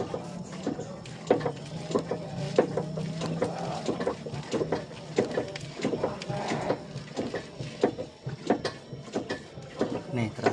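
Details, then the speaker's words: 2012 Toyota Avanza front suspension rocked by hand: irregular dull clunks, about one or two per second, with strong vibration felt at the link; worn front stabilizer link knocking, also heard on slightly rough roads. "ini ada ini adalah suara dari stabil Link ini dia dan apabila dipegang ini akan terasa ada getaran keras sekali bunyinya ya"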